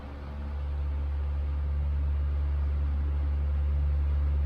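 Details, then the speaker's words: 1938 GE 12-inch oscillating fan (49X929), first test run after full restoration, low speed (speed two), non-oscillating: smooth, low steady hum, no ticking or rubbing, faint hiss and background vacuuming; normal fan motor run. "here it is on speed two which in this case is low speed and it runs beautifully I currently have it on non-oscillating mode"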